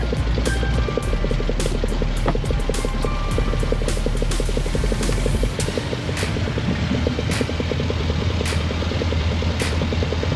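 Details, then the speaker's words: 2017 Mercury 90hp Command Thrust four-stroke outboard after IAC valve replacement fixed a 6-beep alarm; idled up, a steady low throb with rpm increasing, no alarm beeps, out of guardian mode. "yeah man seems to be pulling ping good our RPMs increase yeah we're out of Guardian mode"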